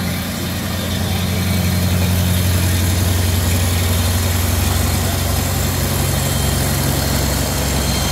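Low, even idle with a steady deep rumble and no knocks or misses; the old flathead is running smoothly and healthy.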